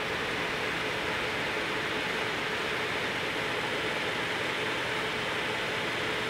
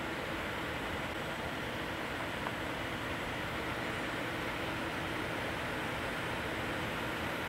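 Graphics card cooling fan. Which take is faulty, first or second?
first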